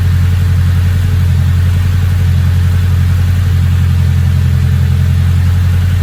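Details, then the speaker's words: Engine with a big turbo, now idling a lot better, turbo not spooling: steady, even low rumble at idle with no stumbles or hunting; no check engine light, good oil pressure, normal. "Yeah, it's idling a lot better now. Turbo's not even spooling."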